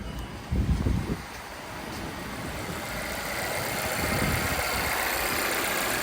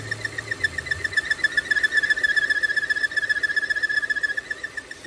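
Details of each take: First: 2017 Volvo XC60 idling after a vacuum/PCV leak that caused P0507 high idle and P0171 lean codes was fixed: a couple of brief thumps, then a quiet, steady idle with no hunting or surging, running normally. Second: 2017 Volvo XC60 idling with idle RPM rising, codes P0507 and P0171 (lean bank 1): a thin, high whistle pulsing about four times a second, rising when the opening is covered; PCV vacuum leak, confirmed with smoke test.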